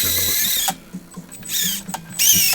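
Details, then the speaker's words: SCX24 crawler that stalled at full lock, replaced with a 050 motor, battery at 3.83 V, held stationary at full lock either direction: three short bursts of strong electric whine holding pitch without sagging; motor pulls cleanly. "If I can show this or not, but I'm holding the car from moving. full full lock either direction."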